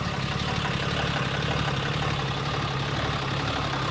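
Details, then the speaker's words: 4th gen 6.7L Cummins, first start after Airdog 165 lift pump install bypassing stock fuel filters; uneven loping idle clatter, owner suspects fuel not yet circulated; no leaks seen. "She's running a little goofy right now, and I think that that's just because we need to get the fuel circulating back through her, so she should balance off here and balance out a little bit, but she's up and running."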